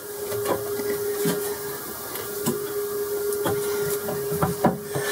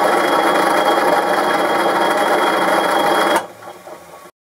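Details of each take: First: Boxford lathe cabinet drive unit after replacing pulley spindle bearings and drive belt, new belt not yet worn in and lightly tensioned; steady mid-pitched hum with a few handling knocks; normal running at higher speed. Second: Boxford lathe cabinet-mounted motor drive unit with multi-step pulleys, heard at the bottom near the motor: quick, uneven rattle about three times a second over the hum; source not found, bearings and belt later replaced.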